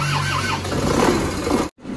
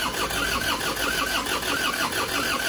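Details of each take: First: Isuzu Panther pickup diesel, reassembled after blow-by, injection pump timing just advanced: catches quickly and settles into a steady, slightly rough run with black smoke at first start, said to clear when warm; normal start. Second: Isuzu Panther pickup diesel, which smoked from the dipstick and oil filler after an oil change, being reassembled. Steady cranking beat that never catches, with thick white smoke; injection timing too far retarded, and it starts once advanced.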